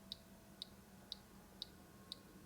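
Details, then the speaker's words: Balmuda pastry toaster in croissant mode, 5 cc water, three minutes, steaming: light crisp clicks about twice a second over a quiet hum, relay seemingly alternating heat between top and bottom elements; normal operation. "it's like a very light click click click it's getting steamed up in there you can't see the croissant now"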